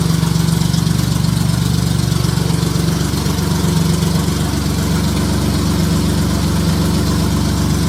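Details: J35 engine (about 183,000 miles) swapped into a Subaru Baja, warm idle on a cool fall day; smooth, even low hum, no knocks or ticks. Oil pressure about 60 psi, coolant near 150 with a fan on, compression modest, radiator struggling.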